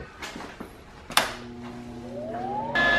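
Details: Lincoln Electric 140HD flux-core welder after replacing its cooling fan, which had stopped or spun slowly with a clearance noise: a bump, then tone climbs as the new fan spins up to an even hum, no rattle or scrape; fan runs fine.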